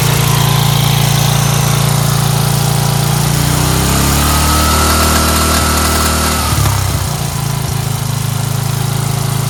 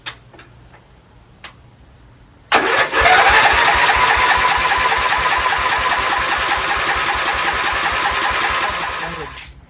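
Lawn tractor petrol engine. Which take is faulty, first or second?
second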